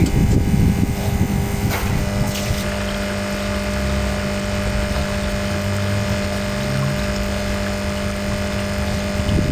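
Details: Vibration pump (in a plastic jacket) after gap adjustment and removal of a 1 mm washer from the piston: steady, even mains-rate buzz with water moving, no rattling or faltering; runs like new, pumping normally.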